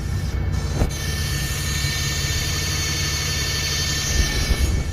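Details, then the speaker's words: 2013 Nissan Frontier 4.0L: constant high-pitched whine over low engine rumble, resembling fuel pump, power steering pump, alternator or air leak, seeming to come from the front. "it almost sounds like it's coming from up front when you open the hood and it almost sounds like power steering pump and almost sounds like alternator or air leak"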